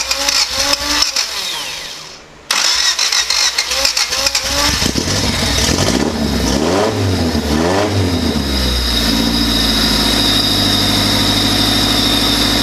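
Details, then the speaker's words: Lifted Civic project car, OBD1 D16Z6 with OBD2B conversion, first start after rewiring: weak cranking, a pause, then it catches, revs up and settles into an even, steady idle; starts and runs healthy. "Now that I know it, that everything works and it'll run, now I can button everything up."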